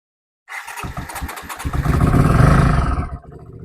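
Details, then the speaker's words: 1980 Honda CX500 twin, first start after a rebuild from a box of bolts: short crank, catches cleanly, steady even idle. Fuel seems to be holding with no leaks seen, and a slight backfire. "So, I'm just looking for uh fuel leaks at the moment. It will idle. Fuel seems to be holding."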